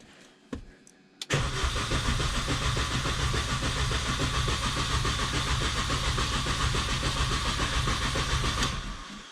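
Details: R53 Mini Cooper that won't start after refueling: even cranking about three and a half beats a second for seven seconds never catches; fuel delivery fault suspected, ECU earth wires being checked.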